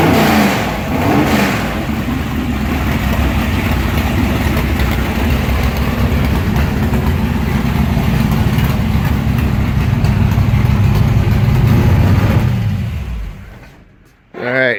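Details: Big engine with mechanical fuel injection, restarted after only a brief warm-up by turning the fuel lever back on: it catches right away, lopes at a steady, deep rumble, then shuts off cleanly. Normal.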